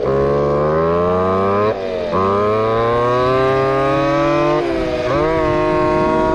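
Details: Two-stroke RC Big Foot, hot pipe, top-end needle adjusted, about 28 mph: screaming full-throttle note climbing then twice sagging and stumbling; at lean limit, breaking up, later judged slightly rich.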